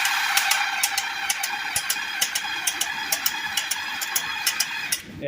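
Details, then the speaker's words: Kawasaki Bayou KLF300 4x4 with pull starter removed, engine turned over by hand: sharp metallic clicks, roughly two a second and somewhat uneven; source unknown, owner suspects the top end and pull cord previously stopped as if locking up. "it still makes that noise I'm not sure what it is at this current time I'm kind of stumped"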